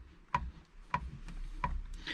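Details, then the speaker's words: Ford Fiesta ST 180 front ball joint (press-fit with circlip, slight gap) rocked by hand: three sharp metallic clicks about two-thirds of a second apart as a gap opens and closes; loose ball joint press fit causing clunks. "let's see a bit of a gap opening here and it closes up and that's the clanks we got to do something about that"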